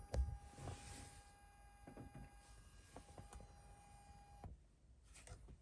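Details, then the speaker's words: 2011 BMW 328i: steady thin buzz with a low hum underneath for about four seconds, then cuts off, from behind the dash; owner suspects loose plugs behind the console/radio. "hey YouTube this video is about this noise that I have in this BMW 328i 2011 it's a buzzing noise"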